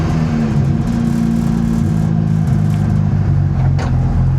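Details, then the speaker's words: Honda EG Civic drag car freshly swapped from J37 to J35 V6 with new transmission, after reassembly: deep loud idle that wavers and stumbles, running a little rough though power seems all there; cause unclear, dyno check planned. "Well, in spite of the fact it sounds like it's running a little bit rough, I think the power is all there."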